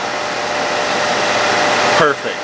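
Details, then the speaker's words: Harbor Freight Central Machinery dust collector motor, previously seized, after replacing bearings with SKF Explorer 6205 and 6204: steady even whoosh of air with no growl, rumble or rattle, then a smooth wind-down; bearings sound healthy. "we are fully assembled it spins free plugged in let's see what it sounds like the loudest noise is the air flowing over it"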